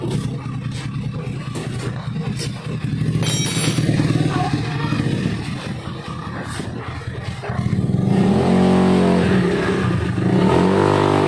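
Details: Honda Beat carburetor scooter after fixing rattling CVT noise by refitting CVT cover support boss: revs up smoothly from idle, pitch climbing cleanly with throttle, no rattle or clatter from belt drive.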